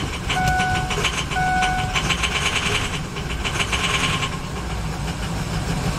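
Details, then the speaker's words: 2006 Ford E-450 Super Duty 6.0 V8 diesel after starter replacement: dash chimes, then a steady churning crank that catches and settles into an even diesel run. Normal crank and start. "all right sounds better what do you think i think i think it might work"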